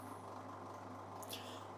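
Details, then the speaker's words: Bosch washing machine (E18 error, not draining) on a 1000 rpm max spin test: loud, steady drain pump hum with rough rattling whir; the pump is loud and likely needs replacing, blades possibly rubbing on debris, filter not yet checked. Noisy drain pump, worn impeller play. "i prawdopodobnie ta pompa będzie do wymiany. Bo tu już dosyć mocno hałasuje, chociaż jeszcze tam nie zaglądałem do tego filtra."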